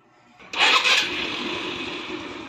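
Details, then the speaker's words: Easy Ride 150N motorcycle with a hard-starting problem, after the worn spark plug's electrode gap was closed: a brief crank, then it fires at once and settles into a steady idle; starts cleanly, the spark plug was the fault. "Tuloy-tuloy ng andar. Anan tuloy-tuloy na. Spark plug lang pala."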